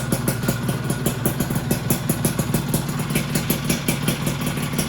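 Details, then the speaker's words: Freshly rebuilt two-stroke engine on first run: a quick, regular light tick with each firing pulse at idle, gone when revved and back on deceleration; expected to fade as the piston warms and expands. "Kalau digas bunyi ngelitiknya hilang ya. Tuh, jadi pas turun aja."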